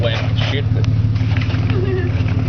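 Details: 1992 EB Series 2 Ford Falcon, 4.0 L straight six, long run on gas, first start in two weeks, revved: deep, even exhaust drone with steady low pulse, no misses or knocks; owner suspects a leaky injector; normal revving.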